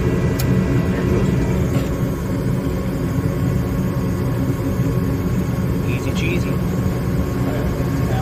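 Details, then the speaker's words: Gas furnace on a service call, running after the fault was traced to the flame sensor, about 10 minutes with no issues: even blower airflow roar and constant burner rush, no rattles or surging; normal running. "all right guys it's been a good uh 10 minutes or so she running she's running good no no issues"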